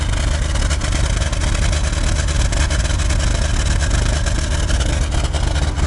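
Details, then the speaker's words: Old VW MK2 diesel running without the lift pump line, with smoke from the exhaust manifold and plenty from the tailpipe: heavy, uneven, lumpy low clatter; it runs but won't accelerate, and the owner suspects a failed injection pump. "we looking underneath here it's all good no leaves it runs it just doesn't accelerate"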